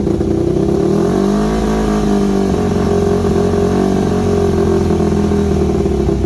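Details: Yamaha WR250 single-cylinder with good compression: idle pitch wanders up and down over a few seconds instead of holding steady; carb needs rebuilding, owner unsure idle jet is fully unblocked, irregular idle.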